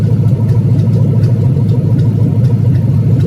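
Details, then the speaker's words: 6.1 Gen3 Hemi V8 on EZ-EFI V1 fuel injection with Hemi6 ignition controller, warming up at a reading around 131-133: deep even loping rumble, no knocks, ticks or misses; normal clean idle. "You guys got to see it run, you got to see it idle, and you got to hear it a little bit."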